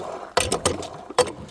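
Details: Hand well pump being primed and flushed for the first time: four sharp squeaky clunks about a third of a second apart as the handle strokes; the pump draws well with good compression, bringing up orange, rusty water.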